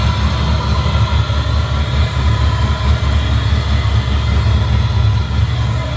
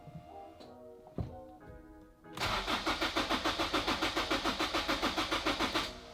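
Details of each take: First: Lopey V8 idle from an LS1-swapped Honda S2000 with a Texas Speed MS3 camshaft: deep V8 idle with a choppy, loping exhaust beat from the aggressive cam, otherwise running fine. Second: Turbo Honda S2000: starter cranks evenly about three to four beats per second for three seconds, never catches; owner suspects fuel needs priming, later started after priming.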